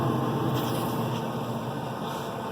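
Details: Z Grill 700E pellet grill, auger turning slowly: steady, even airy rush with no rattle, scrape or wobble as the fire-pot combustion fan blows air out; normal operation.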